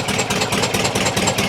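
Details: 1973 VW T2 Bay camper, 2 L air-cooled engine with twin-choke carbs, poor running and power loss, exhaust hanging with failed gaskets: rough idle with rapid even chuffing from one side; dead cylinder from zero valve clearance holding the valve open.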